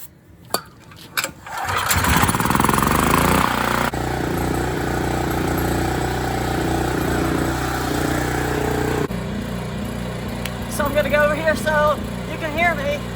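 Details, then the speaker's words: Generator starting after pull cord replacement, not cranked in about 3 years, on three-year-old gas treated with stabilizer: catches after a few pulls and settles into a steady, even run with no misses or surging; normal running. "the generator is running i want to run until it runs out of gas"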